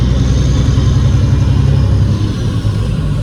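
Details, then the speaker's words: Peterbilt 379 with Cat 3406B diesel, freshly installed new turbo, loaded, driving; turbo intake sucking audible. Deep, steady rumble pulling under load with no whistle, rattle or surge; new turbo sounds healthy. "Now you can actually hear the turbo sucking in here. You guys will hear it now."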